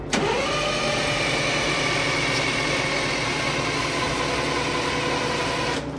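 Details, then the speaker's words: AVGP Husky armored vehicle diesel, fuel system sorted and electric pump working: long steady cranking whirr for about six seconds, never catches; several injectors found seized on the racks in the no-fuel position, reacting only to ether. "we pulled the rocker covers and found out that couple of the injectors appear to be seized on the racks so they're stuck in a no fuel position so that's why it's not firing enough and we're not getting any kind of reaction other than we try with ether"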